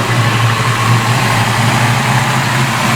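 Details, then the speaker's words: Ford Fox Body after injector swap and ECT sensor test: steady low idle with slight rise and fall, not settling; idle hunting, possibly the computer relearning. "I don't know, the idle sounds like it's still hunting around, but that could just be the computer trying to relearn."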